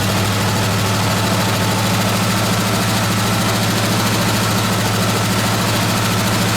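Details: 1969 AMC Javelin, 290 V8 with old fuel and a carburetor accelerator-pump fuel leak: loud idle with an irregular, lumpy beat and stumbling pulses; misfire from loose spark plugs.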